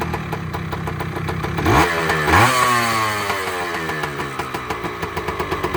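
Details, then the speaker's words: Two-stroke motorcycle with CDI ignition, first cold start, right side of engine finished: crisp, even two-stroke popping settles to a steady idle after a throttle blip; running smoothly and cleanly. "Purring like a kitten, baby. The sweet sound of a 2-stroke. Listen to that."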